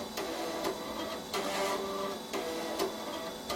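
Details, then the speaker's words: Compaq Proline 4/33 486 PC, unpowered for over 10 years with a flat BIOS battery, attempting to boot from floppy; repeated seek clicks and short whirring bursts about once a second, never settling into a read, floppy drive failing to read. "You can hear it, it is attempting to boot from floppy, it's just not getting there."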